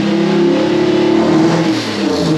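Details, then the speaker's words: 1UZ V8-swapped Toyota Surf with coil wiring mixed up: loud steady revving V8 whose note shifts and wavers as fuel is sprayed straight into the air intake, showing the engine runs lean and lacks fuel. "I just put it straight into the air intake and you can hear the engine change of the pitch and rub around the rock free up"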